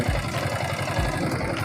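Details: Yamaha R15S idling with a light quick tick over the exhaust beat, steady with revs; valve train ticking from worn rocker and cam lobe, engine opened for rocker repair.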